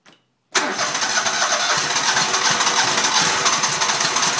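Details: Mower runs poorly and smokes; it fires after a short silence and runs rough and uneven, sputtering rather than settling into a clean idle, struggling to start.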